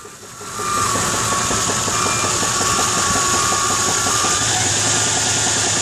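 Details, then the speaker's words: Pickup truck whose engine was said to be rebuilt with 10,000 km on it, warm at idle. A sharp, regular tapping knock of about three per second started two months after purchase. Owner suspects a pulley at the front of the engine, possibly bottom end. "You can hear it ticking away. It sounds like a pulley, like it's coming from the front of the engine. But I'm not sure. Could be bottom end."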